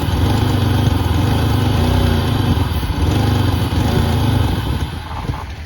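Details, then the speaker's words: 1988 Pontiac Firebird, 2.8L GM V6, 230,000 miles, first run after about 13 years, old oil unchanged, warming but below operating temperature: steady even note with no knocks or ticks. It held almost 50 psi oil pressure after about two minutes, a good sign. "surprisingly even after we had it running for about two minutes it still had almost 50 pounds of oil pressure which is a good sign"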